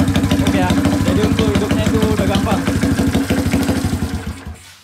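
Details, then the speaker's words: 1981 Kawasaki Binter Mercy 200cc, previously hard to start: kick-started without throttle, even steady idle about three firm beats a second, then dies away smoothly when shut off. Normal idle. "hidupnya itu gampang gak perlu kita pegang gas hidupkan kontak engkol dia bisa hidup normal langsam ya sa hidup normal langsam"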